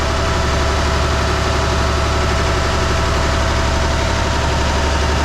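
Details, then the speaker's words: Perkins T6.354 marine diesels after CAV injection pump reseal, warmed up to operating temperature, held at about 1500 rpm: steady, even drone with deep low throb, no knocks or misses, zero pump leaks; normal running. "All right, I got both engines revved up to about 1,500 RPM. They've been running that way for a while. We're up to temperature."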